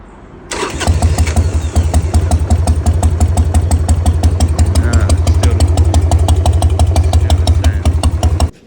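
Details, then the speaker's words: 2001 Harley Sportster 1200 Evo: runs with a rough, lumpy beat as the rear cylinder isn't firing; a half-seated HT plug lead was pushed back in, but it still doesn't sound right. "The rear the rear cylinder is not firing. You can hear it trying, but it's um not kicking in. And I don't know why."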